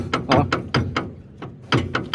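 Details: Steering linkage part being rocked by hand: about nine loud, hollow clunks in quick bursts, showing excessive play that causes a strong clunk and wiggle in the steering wheel. The part is to be removed.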